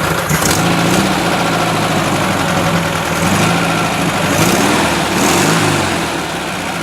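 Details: 1970 Volkswagen single cab air-cooled engine, badly rebuilt elsewhere, run via shorted starter and hand-worked carburetor as it won't run on its own: rough surging with mechanical clatter, noise and strong vibration on one side; cause not yet found.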